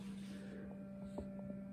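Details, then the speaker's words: Samsung refrigerator less than a week old with a loud steady hum at a fixed low pitch near 200 Hz with an overtone, audible from across the room; cause unknown, ice maker questioned. "my refrigerator is getting louder listen to this i can even like all the way over here can you hear that the samsung"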